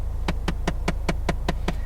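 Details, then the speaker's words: Ford Fiesta ST at 100,000 miles, unfixed fault: the HVAC blend door actuator behind the dash makes a steady run of sharp clicks, about five a second, when the vent setting is changed, and keeps clicking for quite a while before stopping. "the hvac blender makes this sound when I change the vent setting"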